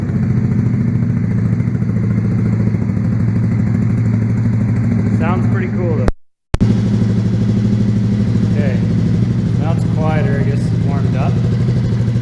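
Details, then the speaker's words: Honda Grom 125 with three kilometres on it, just fitted with an ARV2 low-mount full exhaust, much louder, warming up: steady, low, even thrum from the small single with no misses or knocks; normal warm idle. "first mod a lot louder smells like he's gonna let it warm up for a second"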